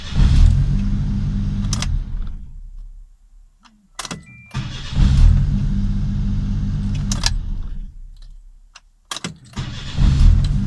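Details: Suzuki Jimny JA11 with hard-starting fault, after fitting a made-up harness to raise and stabilise voltage: engine catches quickly on each of three tries and settles into a steady, even idle; starts cleanly.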